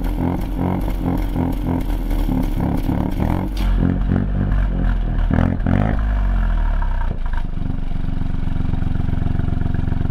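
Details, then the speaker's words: 2020 Ford Fiesta MK8 ST with Scorpion GPF-back exhaust, after fixing a rattling exhaust valve; deep steady burble, rev rising and falling cleanly with no valve rattle. "okay so as you can see from the video that's just been playing um yeah that that has solved the problem"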